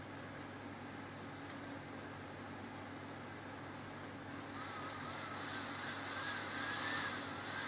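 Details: HP 455 laptop that won't start, Esc key unresponsive: quiet whir that wavers then surges louder and airier, no boot, erratic fan/HDD; motherboard failure, later replaced under warranty, fixing it.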